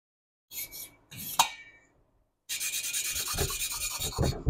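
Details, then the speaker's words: Hand-lapping valves on a 1976 Porsche 912E Type 4 2.0 cylinder head: loud gritty rasping from back-and-forth strokes, seat not yet mated. "And you're going to start to hear it not grinding as loud. It's going to become quieter, quieter, and quieter."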